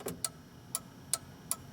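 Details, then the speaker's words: EV conversion throttle (Curtis PB6 pot box) micro switch actuated by hand: five sharp, crisp clicks at uneven spacing, about one every third of a second, over a quiet room; switch actuating cleanly. "Here's the micro switch that we were talking about. You can see as I activate"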